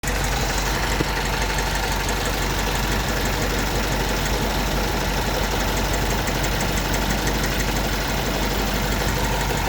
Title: engine strange noise (not valve )